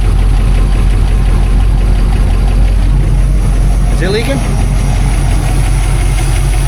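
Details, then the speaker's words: 1959 Plymouth Fury V8 at idle after new fuel pump and upgraded oil filter housing seals fixed the oil leak: deep steady rumble, no knocks, ticks or misses, slight smoke; runs good, healthy. "It runs It runs good. It sounds good. The motor doesn't make any weird noises it's not supposed to make."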